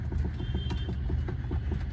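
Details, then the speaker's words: Mercedes E220D, 110,000 km, after a high-speed underbody impact; rapid dull metallic clunks, about four a second, as the steering is rocked at idle, also on uneven roads; worn front struts, strut mounts and lower arm. "यही आवाज़ जब uneven road पे जा रहा है तब भी आ रहा है और ये स्टीयरिंग को क्रॉस करके अगर मैं ऐसा मूव कर रहा हूँ तब भी"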